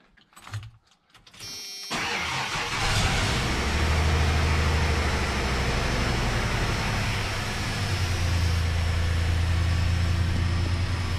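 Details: 1996 Ford F150 4.9L, first start after days sitting with radiator changed and fluids drained: short crank, quick catch, then steady even idle with low hum and no misses; oil pressure and battery read normal, healthy start.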